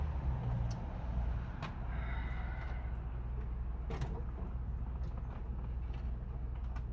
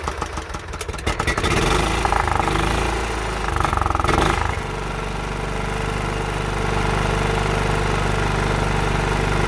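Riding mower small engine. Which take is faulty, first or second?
first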